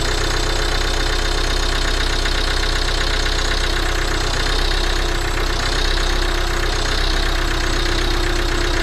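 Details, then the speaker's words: Volvo V40 D2 D4162T diesel at first start after repair of a broken cambelt (new cambelt, camshaft, rockers, cam sensor, diesel filter): starts, then steady idle with even clatter about four beats a second, no misses or knocks; normal, healthy. "Starts, yeah, sounding awesome. So guys, that was the cambelt, new cam sensor, new diesel filter, new rockers. Sounds like a diesel."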